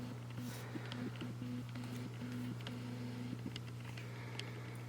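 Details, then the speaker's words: Canon EOS R6 with the cheap RF 50mm f/1.8 lens, focusing up close while recorded by an on-camera shotgun mic. Buzzing whirs and faint ticks as the lens hunts; noisy autofocus motor. "And the issue with it for video is it's loud. So if you are recording with a shotgun mic on top of the camera and you're trying to film something up close, I'll show a clip of it, but it's loud."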